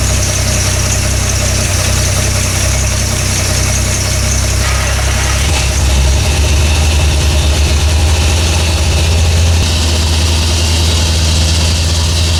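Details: Toyota FJ40 Land Cruiser after new distributor, cap and rotor fitted (old mechanical advance wasn't advancing), base timing set good: deep even idle, steady low beat, no misses or stray ticks; high idle still being adjusted.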